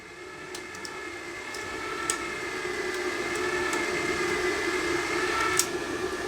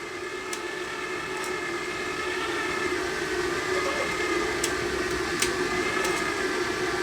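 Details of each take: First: I think we've got a little bit too much tension on there you can hear the motor just whining a little bit Second: Gasless flux-core MIG welder wire feed motor gives a steady whine at an even pitch with no stutter after tension adjustment; the wire drives through the gun smoothly without slipping.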